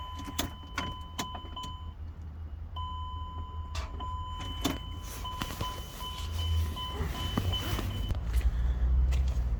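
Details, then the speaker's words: Chrysler Pacifica starter gives sharp click-click-click on each key turn with no crank; code P0706 (check shifter signal); fuses and relay checked fine; sometimes starts after many tries; voltage differs at engine ground (15 vs 14). "And just normally starter makes click click click sound when you try to starting."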